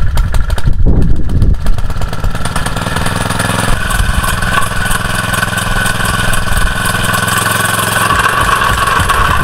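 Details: Used jumping jack tamper after a carburetor cleaning and a torn intake gasket behind the carb, air filter clamped on: the small single thumps at a steady three beats a second, no misses or stumbles, stomping a 4-inch hole; normal running.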